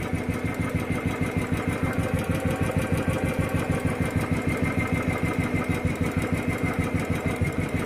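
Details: Royal Enfield single-cylinder at steady idle with an even ticking beat about three per second, likely from the top end; suspected tappet noise.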